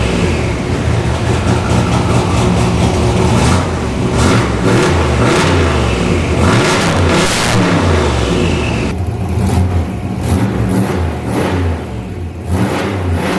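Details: Turbo 331 cubic inch small block Ford V8 with AFR aluminum heads, on a stainless straight-pipe exhaust, recorded in a garage. Deep lumpy idle burble with sharp, loud rev blips. The garage echo exaggerates the loudness, which is not too loud. Normal straight-pipe exhaust rumble.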